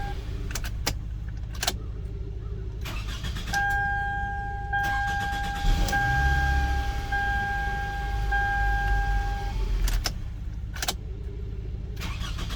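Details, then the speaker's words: 2005 Toyota Camry being diagnosed for crank-no-start. With the immobilizer permit start now reading OK, it cranks briefly, catches right away and settles to a steady idle, door chime heard. Clean normal start, one of four restarts. "that's four times I've restarted it"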